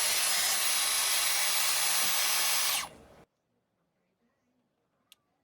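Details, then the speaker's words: Dyson Airwrap that cut out after ~5 minutes, after removing fluff blocking motor inlet: smooth even high-pitched airflow, much quieter, clean spin-down; healthy. "I can't believe it's like that. I'm covering that. That is so much quieter."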